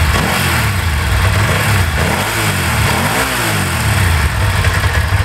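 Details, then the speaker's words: Bimota DB4 ie with about 10k miles, warming up, audible Ducati dry clutch: crisp throttle blips rise and fall cleanly from a steady twin-cylinder idle with even firing; normal revving, with everything working. "you can hear that ducati clutch dry clutch there she isn't there she is sounds well in standard form everything works"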